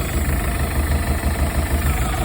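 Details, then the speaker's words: 1983 Galaxy boat engine: deep, lumpy, pulsing idle with heavy shudder, shaking badly; owners suspect a misfire, and the valves are clacky. Rough idle. "here's the boat running it sounds like it has a lumpy cam right now i think we think it's misfiring or something"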